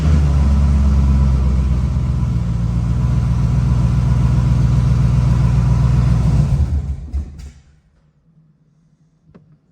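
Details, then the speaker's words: C6 Corvette first start after drivetrain reinstall, fired only after bypassing the EBCM: loud, deep rumbling run with a steady rough pulse about four times a second, then dies away; sounded really weird, cause unclear. "that sounded weird sounded really weird we'll poke around a little bit"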